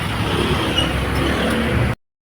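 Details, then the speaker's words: Kia Soul after replacing the noisy, worn drive belt: steady even idle, smooth low rumble, no belt squeal or chirp; noise gone. "So ayan, bandar na yung ating Kia Soul. Grabe na mga boss. Wala na. Wala nang ingay."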